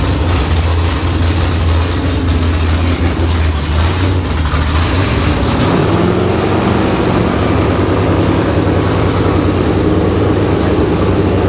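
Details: Freshly built V8 in an S15, first start with fuel rails pressurized and radiator filled, before exhaust is built: catches and settles into a deep steady rumble, then a smoother note; normal running.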